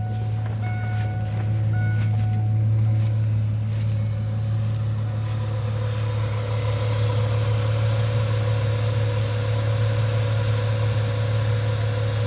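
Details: 1998 Ford Mustang, first start after about ten years sitting, warming up as temperature gauge starts to move: steady, even low rumble at constant speed with no misses or knocks; smooth, healthy idle.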